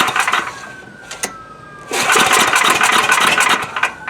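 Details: Coleman Powermate MAXA 5000 ER generator, old 10 hp engine, new primer-ball-style carburetor, primed with a shot of fuel: rasping recoil pulls in quick bursts, coughs at most, never catches; won't start.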